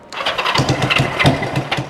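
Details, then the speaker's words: 1974 Honda CB360 built from parts bikes, first start in neutral with no clutch cable fitted: rough, uneven firing with sharp snapping pops right after start-up from an exhaust leak near the head. It is also smoking. "we can can bet on an exhaust leak already sounds like she's snapping up here"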